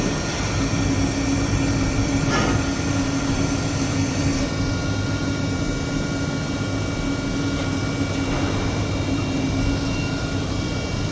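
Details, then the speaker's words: 2015 Tsugami BO325-II CNC Swiss lathe running a production program dry: steady hum with fixed high tone and occasional clicks; normal spindle running. "And what RPM will you run this up to? It's 2,500, I think is what the cutoff does."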